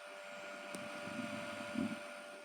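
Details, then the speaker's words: NVISEN YMU01 mini PC cooling fan, recorded up close just after a stress test following thermal paste replacement, CPU around 58-59 degrees: steady, fairly high-pitched whine with constant airy rush, no rattles or grinding; loud fan cooling down. "I am very close, so you can hear very strong, most probably."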